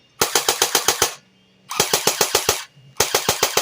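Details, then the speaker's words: JG Mac 10 airsoft AEG on a Tokyo Marui 7.2V NiMH battery with EX converter, about halfway depleted after 200 shots: short bursts of sharp cracks at about 7–8 shots a second; crappy, low rate of fire. "ROF is not, the rate of fire is crappy, okay? It's not that good. It is working. It will get you through a skirmish, and especially if you're a good shot."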